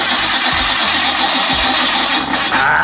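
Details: Barn-find Nissan R32 Skyline, main power fuse temporarily bridged: starter cranks in steady pulses a bit over one per second but never catches; injectors possibly stuck, later tapped to free them; cause unconfirmed.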